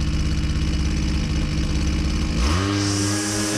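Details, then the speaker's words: Husqvarna 122C string trimmer at full throttle, about 6,830–6,870 rpm, goes uneven and burbly, four-stroking as the high-speed jet is opened richer and speed drops; customer complaint of poor running. "notice when I rich it up the speed goes down and he it four stroking"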